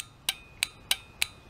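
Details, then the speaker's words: Common automotive relay bench-tested with power applied to its coil (polarity doesn't matter): five crisp, sharp clicks about a third of a second apart as the contacts change state, showing the relay works. Normal relay click. "hook them up to the coil and listen for it you'll hear it click if it's working it'll change states"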